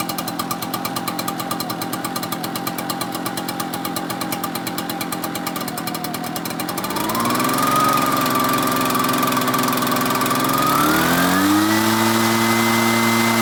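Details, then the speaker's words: Echo backpack blower that previously wouldn't start, now fitted with an Amazon replacement carburetor and flushed fuel, started on choke. The two-stroke idles evenly, then revs cleanly to a steady high whine; it runs properly after the repair. "we put it all in and it seems to be working perfectly fine now"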